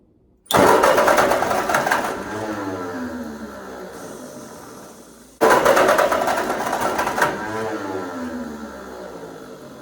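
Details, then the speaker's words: 1946 Ford 2N tractor with new rings, distributor, cap and rotor, strong spark and improved compression: two cranking bursts at about three pulses a second with ragged firing that fades without catching; owner suspects fuel, and carburettor and points were later found misadjusted. "And now the spark is really strong, so it must be fuel, unless I have no compression, but I know I have more compression than I did when I pulled it in here."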